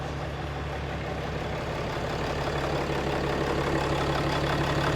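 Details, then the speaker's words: 6.7L Cummins diesel that had a no-start, after installing a new throttling intake valve: smooth, even diesel clatter at a steady idle with no stumbling or hunting; engine idles normally. "All right, sounds good."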